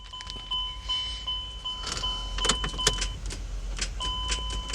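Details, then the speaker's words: Older Chrysler Pacifica that has sat a while, battery shows voltage: a sharp single click at each key turn over the door chime, lights dim, no cranking. Starter fault suspected versus a seized engine, not confirmed. "now guys keep in mind did y'all hear that click that click simulates or or sounds like the starter is trying to start"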